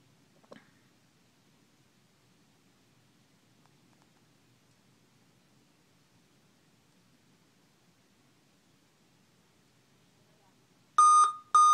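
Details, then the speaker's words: Dell Inspiron M5030 laptop at power-on: a small click, then loud high-pitched beeps (7-beep code) with a blank screen and no display. "this Dell computer. When you turn it on, you'll hear a lot of loud"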